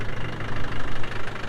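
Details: Land Rover Defender 110 diesel idling: low steady clatter with an even rhythmic pulse and no odd knocks or misses, a healthy engine ticking over.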